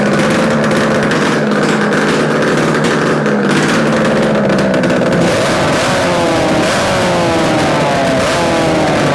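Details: Yamaha RD250 two-stroke twin on a test-stand mount with total-loss ignition, running after coil wire swap and carb adjustments; crisp buzz rising and falling cleanly with throttle, no misses or rattles; healthy, likely a good engine.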